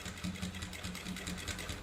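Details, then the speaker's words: Sewing machine stitching through a thick seam of six-layer thread after soap was rubbed on the cloth: steady four to five stitches a second, loud thak-thak needle knock now reduced to a soft, even knock. "तर हे पहा जे आपला ठक ठक ठकठक आवाज येत होता ते थोडासा आता कमी येत आहे"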